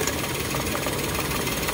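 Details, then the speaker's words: Toyota Wigo with check engine light and cylinder 2 injector circuit code, new spark plug made no change: uneven, lumpy idle with irregular stumble; misfire because a broken injector wire stops fuel supply to cylinder 2, to be spliced. "so positive putol nga yung wire an kung makita niyo putol nga yung isang wire niya kaya siya palyado hindi nagsusuply ng gasolina"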